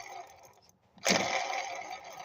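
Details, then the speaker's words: Volvo with reverse-mounted engine, water pump dripping antifreeze: pump turned by hand gives a dry, gritty rasp about a second long; the water pump bearing is rough and worn. "sounds like junk guys it's been G going for a while"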